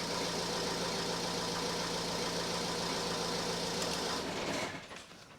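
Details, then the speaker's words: 2010 Ford C-Max 1.8 diesel just started after oil and filter change (about 3.6-3.7 L refilled), not revved: steady diesel idle with even clatter, smooth and settled, oil pressure light goes out; sounds healthy. "it tick over for a few moments make sure the oil pressure light goes out yeah light's going out it's good"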